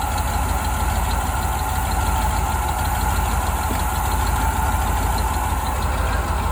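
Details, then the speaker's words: 1988 Ford Bronco sitting about 24 years, first start after ultrasonically cleaned injectors were reinstalled: steady low idle rumble, even firing, no knock or tapping; running smoothly. "then the Bronco finally started and ran after over 20 years"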